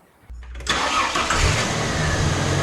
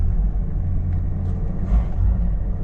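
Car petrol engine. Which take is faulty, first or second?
second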